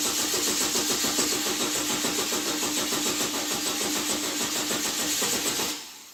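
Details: 2008 Chevy Trailblazer, bought as a non-running work vehicle: starter cranks at a steady rapid beat but the engine never fires or catches, then stops; crank no start.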